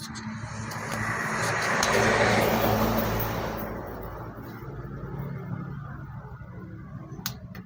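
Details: Suzuki Satria motorcycle fitted with a non-original aftermarket regulator/rectifier (kiprok): engine swells briefly on throttle, then sags back to a rough idle instead of climbing and will not rev.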